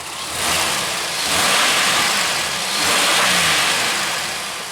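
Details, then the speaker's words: 2001 Pontiac Aztek GT with a rebuilt engine, about three months after the rebuild, hot with the thermostat open, revved twice before its first oil change. Revs rise and drop cleanly with a smooth, strong sound and no knocks or rattles; healthy. "sounds good it sounds strong"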